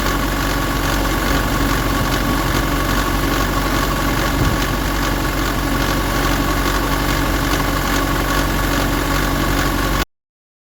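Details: 2007 Nissan Pathfinder 175 hp diesel after start and 15 minutes at 1500 rpm: constant dense clatter with a faint regular beat, lessening but still present; noise unidentified.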